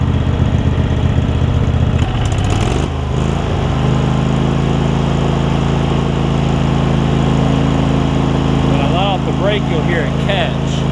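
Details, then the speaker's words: Craftsman garden tractor, Kohler CV20 twin, pre-warmed, after carb clean and idle/mixture screw adjustment: starts without choke, brief stumble then steady even thrum, no misses; running cleanly. "you can see it starts straight up without choking it or anything I had it warm already"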